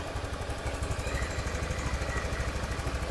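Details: Honda Beat FI injection scooter, after fixing hard starting and idle that rose, fell and stalled; valve thought stuck by dirt: even, steady low putter at about three beats a second with no stumbling; now idles smoothly unaided.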